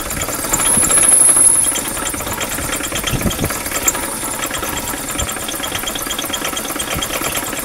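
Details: 2000 Chevy Metro after low-oil running and an overheat from a bad coolant hose, compression 140/15/50/140 psi: rough idle with a busy hammering knock; owner suspects trashed rod bearings on cylinders 2 and 3 that wiped rings/walls.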